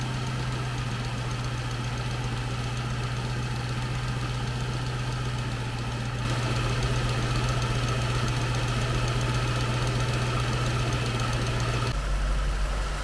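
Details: 2003 Jaguar S-Type R supercharged after fitting two oil catch cans, checked for leaks: smooth, constant low idle hum, even with no ticks or misfires. Normal idle.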